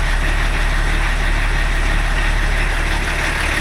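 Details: BMW E34 TDS diesel idling after first service in over ten years: steady, even low chug, earlier knocking gone; EGR pipe blowing by, possibly noise-related.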